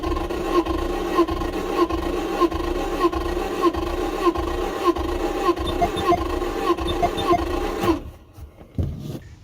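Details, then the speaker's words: High-mileage Toyota Tacoma 3RZ four-cylinder with cylinder 1 misfire codes, compression test with the plugs out: slow lopsided cranking; cylinder 1 reads about 30 PSI against a spec of roughly 120-130. "I have about 30 PSI in cylinder 1 which is really really bad"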